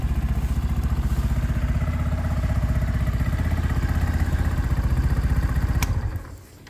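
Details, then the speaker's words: Motorcycle idling: steady, even thumping idle at about four beats a second with no knocks or misses, then switched off. A nice-sounding running, riding bike. "but currently this is a nice sounding running riding bike I think"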